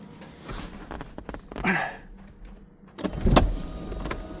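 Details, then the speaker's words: Porsche 996 convertible, hydraulic roof cylinders rebuilt and refitted with pump, hoses and wiring, no leaks: window motors whir down, latch clicks, roof pump hums and clunks through its cycle, pump a bit noisy; roof working normally. "Pretty much the whole roof is working now, back to normal. The rebuild was done correctly and everything's fine, didn't leak at all."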